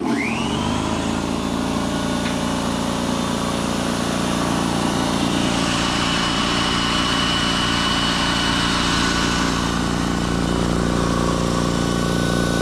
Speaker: Not too bad. I definitely had noisier compressors before.